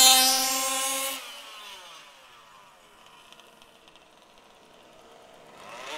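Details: HPI Baja SS RC car with Zenoah G320 engine and V2 Dominator exhaust, rebuilt, on 91-octane ethanol-free fuel with Bel-Ray oil at 32:1; high-speed needle test: high buzzy scream at full revs, drops and returns, peaky note, slightly lean (later corrected).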